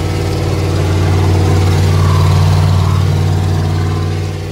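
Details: Freshly rebuilt carbureted truck engine after new fuel filter: loud, steady, fast low rumble that never settles; idle sits too high because the idle control is positioned too far, needs adjusting to bring RPM down.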